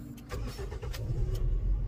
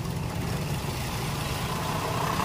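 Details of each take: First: Toyota Vios with hard starting and jerking, and an earlier misfiring number 3 ignition coil. Once the fuel pump was reinstalled and holding pressure, it starts on one click instead of a long crank and settles into a steady, even idle. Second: Toyota Vios with hard starting and jerking: steady low idle with an uneven, stumbling beat; cylinder 3 misfiring on a dead spark plug, shows no reaction when tested.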